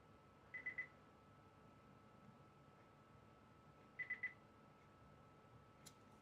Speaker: I don't know if you can hear that beeping. That's just the warning. just to say I've got a current uh a short.